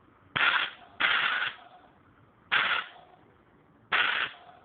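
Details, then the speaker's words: Homemade airbrush compressor with 1/4-inch hose; four short, sharp, strong bursts of hissing air about a second apart showing good flow: normal air flow. "E aqui está a prova. Vocês vão escutar a vazão de ar desse compressor."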